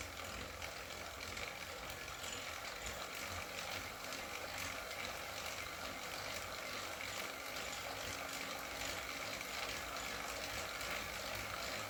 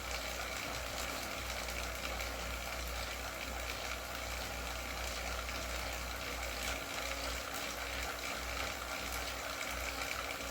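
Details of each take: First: Wahoo KICKR CORE trainer with Zwift Ride, on a rocker plate, pedalled slowly: light, irregular clicks at two or three a second over a soft hum. Intermittent clicking; reportedly a known issue, and the unit was replaced. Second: Wahoo KICKR CORE trainer with Zwift Ride, strapped to a rocker plate, at 90 rpm cadence and 170 W: an even, smooth hum with no repeating clicks. The trainer is running normally.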